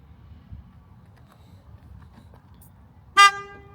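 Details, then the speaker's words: 2014 BMW i3 with an aftermarket proximity comfort access kit, locking as the owner walks away: quiet street, then one short, loud horn blast instead of the factory lock tone; the horn setting can be turned off. "Now when you lock it with the comfort access, so you walk away from the vehicle, it makes the horn go off."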